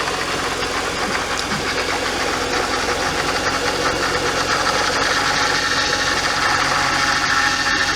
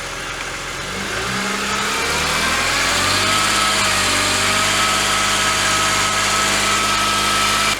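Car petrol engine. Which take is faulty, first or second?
first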